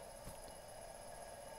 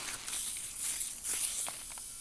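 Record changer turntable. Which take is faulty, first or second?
first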